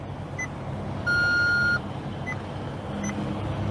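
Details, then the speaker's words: Maserati GranTurismo at startup over a steady idle: short beeps about once a second with one longer tone; owner has twice seen electrical glitches, gauge cluster dead once, another time many warnings including suspension failure, suspects an electrical fault, unconfirmed. "we started the car up and then uh the gauge cluster didn't work and one other time it did work and it popped up a bunch of warning lights saying suspension failure and all this"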